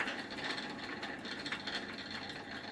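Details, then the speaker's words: Old Phoenix Mentor farm bicycle with a new drivetrain, rear wheel freewheeling: a light, fast, scratchy ticking with vibration coming through the chain to the crank arm; a rear hub bearing is suspected to be worn out or too tight. "as soon as I stop the pedals there's some vibration coming through the chain to the crank arm and I can definitely feel that I think there must be a bearing that is either kaput or too tight in the um in the rear hub"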